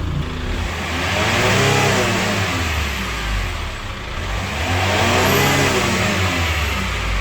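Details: Chevrolet Captiva FL diesel after cleaning, new turbo hose, throttle elbow bracket, injector rings and injector check valves: two smooth revs toward 3500 rpm falling back cleanly, no turbo growl or whistle; engine healthy after repair.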